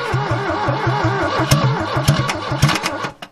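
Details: 1969 Ford Capri barn find, choke shut and fuel added to the carburettor: a steady cranking rhythm near two beats a second with sharp puffs and pops, but it never fires. Cause not confirmed.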